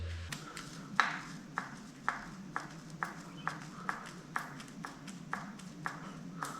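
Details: Bicycle steering head worked by hand: sharp dry clicks about twice a second; knock traced to loose-fitting lower headset race, not the bearing; silent after repair.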